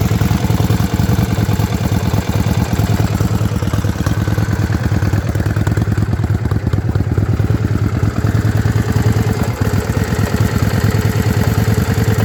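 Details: Yamaha Virago XV535 V-twin misfiring at idle, lumpy irregular beats with skipped firing pulses; one spark plug heavily carbon-fouled, owner suspects carburetor tuning, cause unconfirmed.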